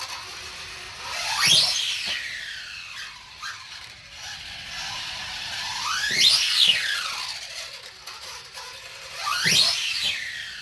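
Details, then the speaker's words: Redcat Volcano 16 mini monster truck after brushless conversion, motor mount holes ovaled, stock pinion: shrill whine swooping up and down with each throttle burst, far above the motor note; poor pinion-to-spur gear mesh. "as loud as loud as it is right now um it gets worse as you'll see in the driving video"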